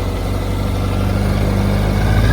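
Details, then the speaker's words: Yamaha R1 after knocking-noise diagnosis, starter clutch found faulty, flushed with used oil: steady low idle with no tick, engine sounds quiet and healthy. "She's definitely quiet."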